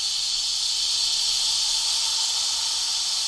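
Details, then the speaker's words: WMF pressure cooker, binaural recording: a steady, hard high hiss without a break for several seconds as the valve is pulled back to slowly release pressure. This is normal steam venting. "so if I pull this back I open this bottle there then I can slowly release the pressure because it was very slowly"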